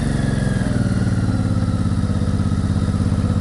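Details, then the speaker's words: Older Honda cruiser with Izh Sputnik sidecar, cold start on choke with clutch pulled, battery 11.8 V, started on second try: quick steady low thump at idle, even beats, no top-end clatter; charging 13.4 V. "Well, it started, it started the second time."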